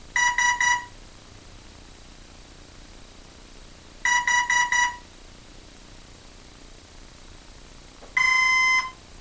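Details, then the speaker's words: Hobbyking F4U Funfighter RC plane with FlySky six-channel receiver bound to Turnigy 9x: two groups of four quick high beeps about four seconds apart, then one long tone; the speed controller signals an error and won't arm. Owner suspects a bad speed controller. "ah okay that's the complete segment anyone knows what's wrong with that please tell me uh i think it's a bum speed controller"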